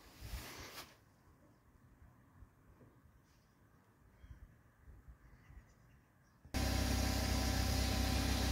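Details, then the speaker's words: 2015 BMW X5 F15 after air suspension compressor replacement: after a quiet stretch a steady, even hum starts and holds as the compressor runs and the sagging car slowly rises; normal air suspension compressor running. "the air compressor is working this rail is slowly needed time to hear the compressor running so hopefully they're all okay it's coming up slowly"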